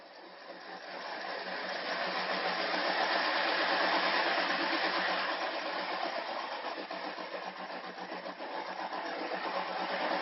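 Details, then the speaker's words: Electric vehicle conversion, motor driven by a Netgain industrial controller, transmission in neutral: rough whirring that swells and fades with motor speed; owner suspects misalignment of the motor-to-transmission coupler, not confirmed. "so that's the as you moment see the transmission isn't engaged it's just that it is the problem we're having is the motor to the transmission and the coupler in there so"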